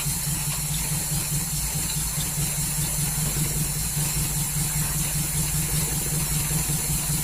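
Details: 1939 Hillman engine started on full choke after fuel pump work: low, uneven, lumpy idle under a light hiss, running rough; owner suspects ignition timing is out after adjusting it, water dripping.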